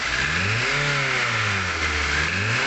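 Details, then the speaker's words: Nissan Grand Livina petrol engine, knocking on acceleration and high rpm after throttle body and EGR cleaning, stalled when forced to run: coarse rattling harshness worsening when revved; suspected worn pistons/piston rings, overhaul recommended. "Kalau digas itu tambah serem. Nah, ini. Wih, serem ya suaranya."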